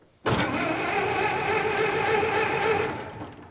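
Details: 1924 (also called 1925) Ford Model T, unrun for many years: starter churns steadily about three seconds with no catch or firing; cranks without starting, flooded engine with plugs coated in gas.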